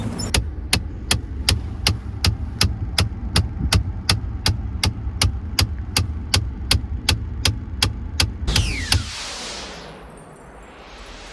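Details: 2014 Ford F-150 EcoBoost FX2: sharp, steady clicking under the dash, nearly three a second, from a faulty HVAC blend door actuator, one of four on the truck, later replaced.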